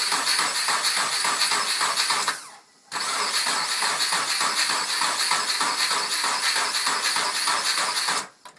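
The starter spins the engine at a steady chug of about three and a half beats a second, twice, and it never fires.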